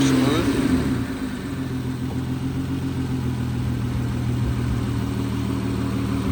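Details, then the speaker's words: 2008 Nissan Altima 3.5 SE V6, tested before removal for resale: engine catches and settles into an even, steady idle with no knocks or misses; normal idle. "We're going to go ahead and start it up for you. Runs very"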